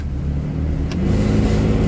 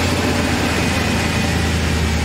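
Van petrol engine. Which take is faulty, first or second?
first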